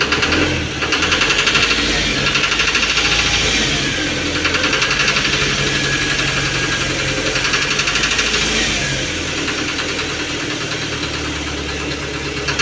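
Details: Running engine with a steady metallic tapping of about three beats a second over the idle, with grey smoke; knocking of unknown cause.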